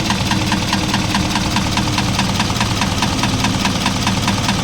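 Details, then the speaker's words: Isuzu 4HL1 electronic diesel at idle with a steady, regular knock that coincides with puffs of smoke. External parts were checked, and valve clearances and rocker arms were found fine. Points to piston slap between a worn piston and liner. "sinubukan din natin itong hanapin sa mga panlabas na piyesa pero wala tayong nakita sa labas may knocking"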